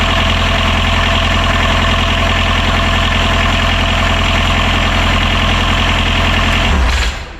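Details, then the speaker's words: Genset reinstalled in boat locker after bench testing, previously would not start after about 20 tries, likely flooded with fuel; even, steady low drone with no knocks or misses, then clean wind-down: motor runs fine, owner reckons it was flooded. "Okay, so there's nothing wrong with the motor. Just I reckon it got a belly full of fuel."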